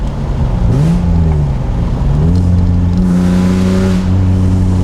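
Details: BMW E36 M3 after head gasket and valve rebuild, first test drive: coarse droning boom swelling under throttle; exhaust sounds blown, likely failed muffler.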